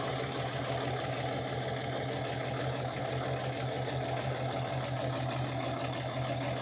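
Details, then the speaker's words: Project Cummins diesel truck at a rough idle. Uneven, lumpy, loping rumble; a dead cylinder is suspected, to be isolated with an injector kill test. Codes: ambient temp sensor, MAP voltage low, ECM/PCM power intermittent. "See if we can at least isolate our dead hole. Because again, I'm pretty sure we got a dead hole."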